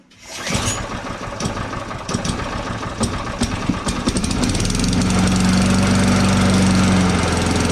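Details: Scrapped lawn mower started after its carburetor main jet tube was cleared, fuel turned on and choke set. It fires after a few pulls, stumbles briefly, then settles to a steady, even drone; the engine starts and runs normally.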